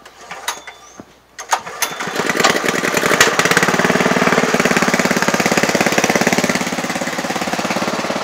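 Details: Honda GX160 gasoline engine, governor set to about 1000 rpm, driving a Flymo DC motor as a 12V generator (~15V, ~40A) powering a tyre compressor: after a few pulls on choke, settles into a slow, even thump under load; normal.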